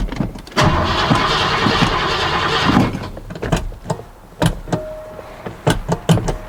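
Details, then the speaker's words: 1986 Ford F-150 5.0L, cranks but won't start, after adding fuel: starter churns the engine steadily about two seconds without catching, then scattered clunks; not just low fuel, cause still unknown, fuses and fuel pump wiring to be checked. "we clearly have a different issue it's not just uh low fuel or the fact that there was no fuel in the tanks"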